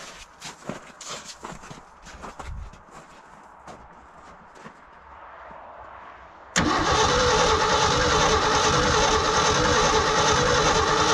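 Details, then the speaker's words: Old hybrid Ford F350 bumpside that sat for decades, cold day, gas poured into the carb vent with choke: steady cranking that never fires; crank no start, owner suspects no spark or possibly a dead coil. "if she doesn't got no spark let's try did you bring a spark tester"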